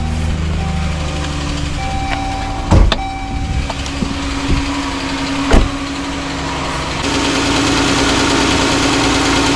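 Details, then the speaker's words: Jeep/Dodge/Chrysler 3.6 Pentastar V6 starting and idling: fast, light valvetrain tick traced to the rear bank, from worn lifters/rocker arms needing replacement. "So you hear the ticking, okay? The first thing you gotta do is identify where the sound is coming from, either the front or the back, okay?"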